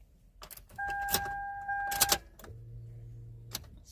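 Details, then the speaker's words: 2005 Toyota Sienna, starter replaced two months earlier: key-on chime and faint dash hum, fuel pump primes and battery seems good, but no click or cranking even after tapping the starter; dead starter motor. "Same thing. Nothing."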